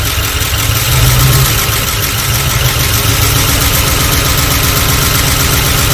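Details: 1978 Dodge D150 with 318 LA V8, first start after sitting a couple of years: loud, lumpy, uneven idle. Timing found a little advanced; cause of the roughness not confirmed.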